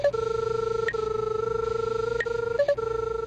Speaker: when the arrow passes over the crosshair you'll hear a double beep